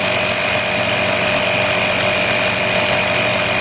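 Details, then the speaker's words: Air Hawk Pro tire inflator set to 24 on a tire at 16.5, fitted with quick-release extension hose; steady high constant-pitch buzzing hum, compressor running normally under load. "okay we're back so i've got it hooked up now and i am about to turn it on we've got it set at 24."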